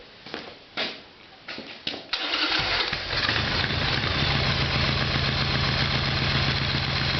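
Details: Harley Evolution Sportster start-up without starting fluid, both exhaust pipes hot, fuel in the line. A few cranking bursts, then a quick, uneven, lumpy idle. The plugs came out carboned and low compression is suspected; the problem was ultimately the carburetor.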